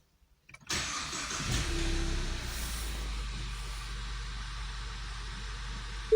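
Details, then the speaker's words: 2015 Ford Mustang 2.3 EcoBoost turbo runs steady and even with no knocking or ticking after a full engine rebuild, following a knock caused by a destroyed connecting rod bearing on cylinder 2. "все двигатель работает чётко без каких-либо претензий"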